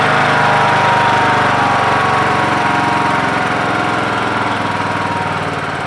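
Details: MTD Yard Machines lawn tractor with a 20 HP Briggs Intek engine and CVT, after the carburetor was replaced (earlier carbs surged) and the air adjusted to balance the mixture: steady, even thump with no surging or hunting; running clean.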